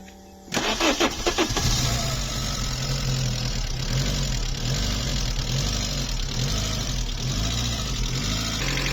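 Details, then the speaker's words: VW Polo Mk2 bread van with 100hp engine, cold start: cranks, fires, then a quick light top-end tick over idle that persists after running a while; stethoscope places it in the top end, owner suspects lifters, unconfirmed. "and I put a stethoscope around here, and it sounds like it's a ticking coming from around here somewhere. It just will not go away."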